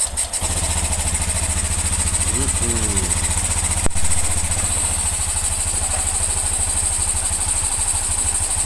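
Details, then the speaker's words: Honda Scoopy (Genio engine) after repair of the crankshaft bearing and connecting rod, with fresh oil. The small single idles evenly at a quick steady putter, with no knocks or rattles. "Alus toh munine kaya perawan alus. Yo ngene iki mas, nek sabar hasil insyaallah memuaskan."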